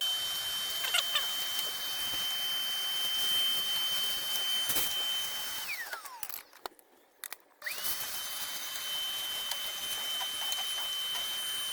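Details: Ricoh IM C2000 copier after a grinding-noise repair, with its gears now rotating freely. It runs with a steady high whir, winding down and back up cleanly with no grinding.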